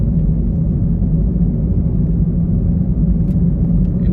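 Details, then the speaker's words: 2014 Gen 3 Toyota Prius heard from the cabin over 25 mph on a country road: an intense, helicopter-like hum under the road rumble, diagnosed as a bad front wheel bearing, though noisy winter tires were considered. "And to me that sounds like a bad wheel bearing. If you can't hear it, it's a humming, almost helicopter-like noise, and it's pretty intense."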